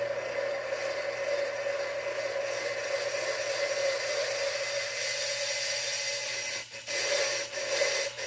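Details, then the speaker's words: Valve lapping on a small-block Chevy head for a 1978 GMC truck engine rebuild, run forward and reverse with grinding compound; steady gritty rasping that drops briefly each time the valve is lifted off its seat to let compound seep back in. "Putting me a piece of paper towel on there, shop towel, so I can kind of hold it pressed in and just go for it. You can hear it grinding."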